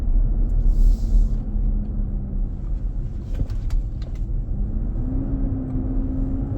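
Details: 2023 Nissan Armada, 4k+ miles, driving at about 95F inside: deep heavy roar swelling and easing under road noise. It eases at 45 mph and comes back up. Intermittent, almost daily. Fan clutch roar.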